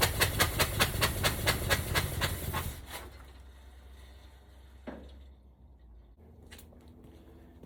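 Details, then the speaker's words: 1965 Cadillac hearse, seized after sitting for years, first fire-up after fitting plugs, wires and valve covers: rough loping beat about two and a half a second for a few seconds, then dies; dead-cylinder misfire. "i know that's not exactly what we hoped for and it doesn't sound great but at least it fired up tonight"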